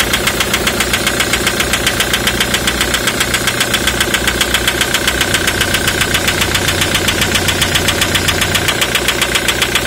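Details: 2003 Ford Mondeo 3, 2.0 TDCi (FMBA) with Delphi common-rail injectors EJDR00301Z. Hard, even metallic knock about 2.5 times per second over the idle. Injector knock caused by a malfunctioning multiplier (return) valve, part 28538389.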